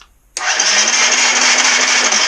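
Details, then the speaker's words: 2013 KTM 350 XCF-W, non-running: starter spins with a steady high whir but no firing pops, cranks without catching; spark tester shows very little spark, a loose wire found, owner suspects a ground wire, not confirmed. "So we're having oh, look how loose that is. We're having very little spark."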